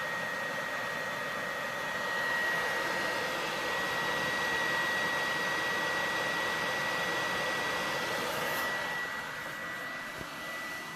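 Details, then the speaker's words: PS4 Pro console cooling fan, before cleaning, during gameplay: a steady airy roar with a thin high whistle and no knocking. It is loud enough to hear through headphones and won't quiet down. "I could be playing for a while this thing won't shut up even if you wear headphones you'd still hear it"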